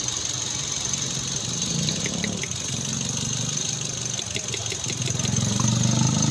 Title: misfire #gariautocare #cargurus #automobile #smartphone #mechanic